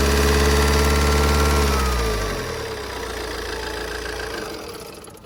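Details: Opel/Vauxhall Insignia 2.0 CDTI 160 hp diesel at idle: a steady, even tick of about three to four per second over the low drone; lifter tick suspected, not confirmed.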